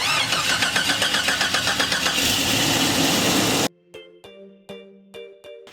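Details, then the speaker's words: Jeep Cherokee with a slow-start problem: the starter cranks in a steady rhythm of about four pulses a second for several seconds before the engine finally fires. The cause is not confirmed. "We got Sulley back in the shop, and actually this time it started a little bit better, didn't it? Yeah, a little bit. But it's been doing that where it just kind of choo choo choo choo choo choo choo choo, and then finally fires up"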